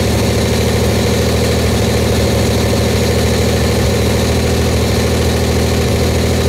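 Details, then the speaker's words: Buick Grand National, freshly built engine during cam break-in, run about 10 minutes varying 1500–2000 rpm; steady even fast idle, loud raspy exhaust (down pipe bottom left untightened), no knocks or misses; healthy. "what my engine builder told me to do was let it run for about 10 minutes varying the RPM from 1500 to 2 Grand shut the car off let it cool start do that again three times total"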